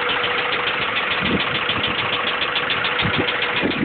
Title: b16 rod knock.3gp